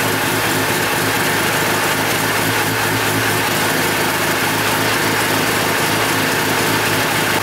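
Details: Mazda FC RX-7 13B rotary just after first start following weeks of work; smooth, buzzy idle holding steady with no stumbles or misses; normal idle.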